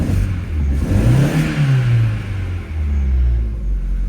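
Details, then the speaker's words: Opel Astra H that shakes and won't pull away (codes P0120, P0340, P1120, P1635), revved after ECU swap with a replacement ignition coil fitted: rough uneven stumbling revs, misfire remains; fault traced to the bad replacement coil. "Ну, простріли поки що начебто є. Ні, простріли залишилися."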